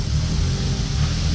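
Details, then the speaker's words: Engine idling after turning off the idle control and adjusting fuel up and down to stop surging: steady, even low rumble with no misses, hunting or surging; idles much more consistently, sounds like it runs great. "See, it sounds like it runs great right now. I turned off the idle control thing."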